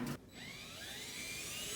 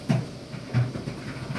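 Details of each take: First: Circa-2006 dryer running: loud, steady, high-pitched squeal getting worse, from a faulty bushing on the idler pulley; fixed by belt and idler replacement. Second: Dryer from about 2006 after replacing the belt and idler pulley with a faulty bushing: low steady drum rumble with soft thumps about every 0.7 s and no squeak, good as new.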